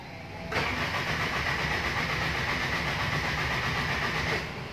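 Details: Toyota Tamaraw FX gasoline engine, in neutral after charging the battery: strong, even cranking about four beats a second for several seconds without catching; crank no start, traced to no power reaching the ignition coil positive from the ignition switch.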